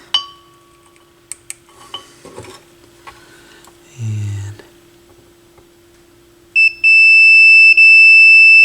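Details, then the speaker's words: AR XA turntable initial evaluation, multimeter continuity check of the RCA cables and tone arm wires, right channel: handling clicks, then a steady high beep held about two seconds; good continuity. "so again with this if there's continuity it'll beep so okay so that so right looks okay"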